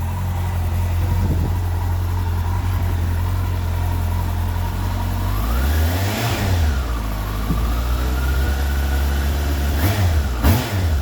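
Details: 2002 Yamaha R1 after curing a misfire traced to a cheap immobiliser: crisp even revs climbing and dropping cleanly with no stumble or break-up; bike runs right.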